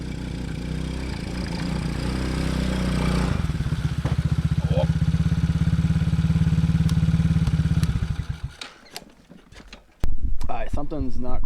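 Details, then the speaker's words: TaoTao Coolster 110cc youth ATV with a 20mm carb, needle at default and running a little lean, test ridden: it revs into the mid-range, then burbles unevenly and can't pull through it or reach wide open throttle; cause not confirmed. "Let's see, now you can get into the mid-range, but you can't get all the way through the mid-range, and there's no full wide open. Just burps along."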